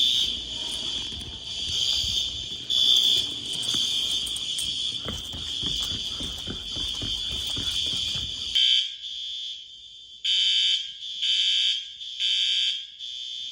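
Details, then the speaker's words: School fire alarm before repair, with sync output and NAC booster lost (9 NAC circuits unsynchronized, only 3 off the 640 panel): high alarm tone in ragged, overlapping bursts never settling into one rhythm; horns out of sync. "All right, so you can see from those clips, I know they were short, but you could see the synchronization was not too good."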